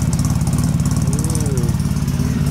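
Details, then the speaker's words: Polaris Sportsman 700 ATV after teardown, engine service and HMF fuel controller installation: even, low idle with a smooth, steady, bassy thump, running lower than before, no misses or knocks; normal idle. "Well, she fired right up. That's actually running a bit lower too. That is running different."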